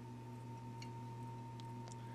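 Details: General Electric washing machine motor with windings burned black, powered through a variac: quiet steady electrical hum with a thin tone and poor spin, motor warming; burned windings.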